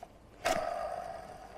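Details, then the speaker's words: Jaguar XJC manual, engine and transmission out of car; hand-spun clutch release (throw-out) bearing gives a sharp flick then rough whirring ring that gets noisier the more it spins, suspected cause of transmission whine at idle in neutral; bearing worn, replacement due. "that is is you see more I spin it the noisier it gets definitely time for throw up bearing"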